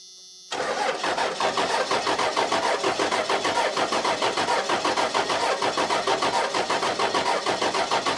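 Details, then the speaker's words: 1994 Dodge Cummins diesel, off the road for years, cranking after hours of trying to bleed it: even beats about five a second, never catches; the lift pump loses fuel and the system is aerating somewhere, with air in the fuel. "sounds like it's under load, and then it'll sound high like it's pumping air. I was really hoping to be out of here tonight, but it's not gonna happen because it's aerating somewhere."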